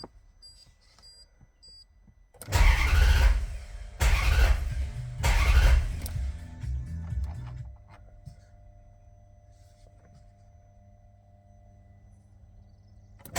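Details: Hard starting on a 4200: three separate bursts of cranking, each a few seconds long, and the engine never settles into a steady idle; cause suspected but not confirmed.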